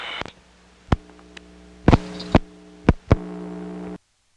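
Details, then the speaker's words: 1977 recording, Smyrna GA ESS T-carrier trunk to 75 West End ESS, early T-carrier sound from around 1969; steady low buzzing hum with scattered sharp clicks and pops; noisy trunk. "This illustrates the early sound of T-Carrier that started showing up around 1969."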